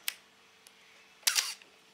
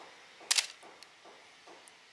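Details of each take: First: Camera shutter: sharp click followed by a brief high scratchy squeak just after clicking, a squeaking shutter mechanism. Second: Camera shutter after oiling to cure a squeak: crisp, dry shutter clicks with faint handling ticks, no squeak; normal operation.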